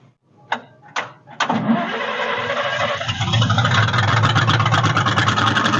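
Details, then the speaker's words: 1946 International truck abandoned 50 years, after a new seat: a few cranking bursts with fire from the exhaust, then a steady, smooth run with no clatter, clanks or rod knock; shut off quickly because there is no radiator. Normal running. "it was actually running really good no clatters no clanks no rods knocking it ran very smooth"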